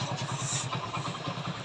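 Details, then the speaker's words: Passion Pro single-cylinder idling after repair of gear jamming: even putter with no grinding or rattle; the earlier kirr-kirr (grinding) noise from the engine is completely gone, gears now engage properly. Normal idle. "Engine की आवाज भी बिल्कुल सही पहले किरकिर किरकिर आवाज कर रहा था अब वो आवाज बिल्कुल भी नहीं है"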